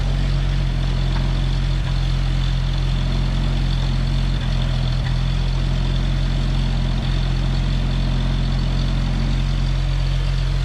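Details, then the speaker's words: CCKW truck engine just started on choke: low, steady idle with an even beat around four per second and a couple of small blips; no exhaust leak heard, sounds healthy. "Sounds good. I don't hear an exhaust leak anywhere. out here like it was."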